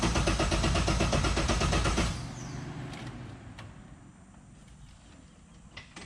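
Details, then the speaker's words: LS3-swapped Mazda Miata with a no-start; fuses checked and relays swapped. Starter spins the engine in an even rhythm for about two seconds without firing, then stops: crank no start, no fuel delivery; fuel system being diagnosed further. "Still no fuel, so let's get a little more in depth."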